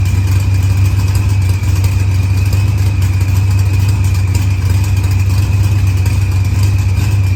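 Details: Green Challenger with a supercharged LS swap, idling after head gasket and fuel pressure sensor repairs, firmware update and a fuel trim. Timing reads 27°, target 28°. Deep, smooth, even rumble with no ticks, knocks or misses; healthy.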